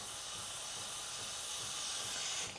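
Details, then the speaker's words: Breville Barista Pro espresso machine during setup, steam wand running: steady, even high-pitched hiss of freely flowing steam, strong but not overly strong, no sputter or pulsing; steam system working properly. "But one of the best things about this unit is that it's a strong steam, but not overly strong. So it gives you time to get that texture right."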